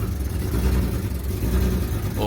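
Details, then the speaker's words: BMW E46 M3 project car, first start after carbon airbox installation: lumpy uneven idle, surging and dipping every fraction of a second; running rough, cause unknown. "Oh, it's running. Something's not He's not happy with something."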